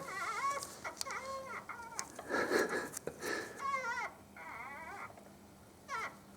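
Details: Toyota Supra (manual/turbo conversion), accessory belt off and engine stopped: high, whiny squeaks bending in pitch as the water pump pulley is turned by hand, from a dry, worn water pump bearing.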